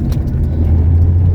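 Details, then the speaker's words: 1970 Porsche 911T flat-six on its road test after 5 months of work: deep, even rumble pulling steadily under road load, with no misses, knocks or rattles. Normal running while driving. "There we go. This thing sounds good. Man, it feels good to finally drive this car"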